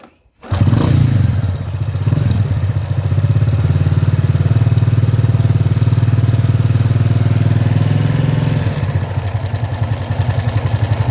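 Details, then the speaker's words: Honda Supra body with Mochin engine, valve cover off, running: coarse steady clatter near 230 beats a minute over idle; no oil reaching the head makes the engine rough, left-side noise usually from a loose cam chain. "Ini udah dipastikan oli mesinnya tidak bersirkulasi ke bagian head. Nah, ini permasalahan yang membuat ee mesinnya kasar ya. Terlebih ee untuk blok di sebelah kiri itu biasanya akibat rantai keteng yang kendor."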